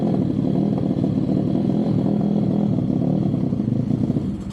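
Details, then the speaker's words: Pit bike on a dyno before a carb and CDI replacement: the small single runs ragged and uneven with a stumbling, clattery beat that never settles. Rough running, cause not yet pinned down. "Yeah, that's running like shit."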